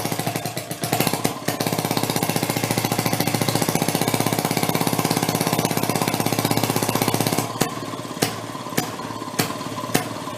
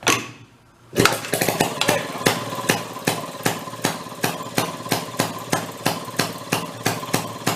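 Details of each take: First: 1937 Maytag two-stroke washing-machine engine: switched from closed to open, rapid popping at about four beats a second faltering into scattered misses near the end, kicking out fire; breaking up, owner hopes rings aren't burning up. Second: 1937 Maytag 92 two-stroke washing machine engine from flea market, previously non-running, now kick-started on bench: sharp regular firing pops about two to three per second, clean even beat; running properly. Normal running.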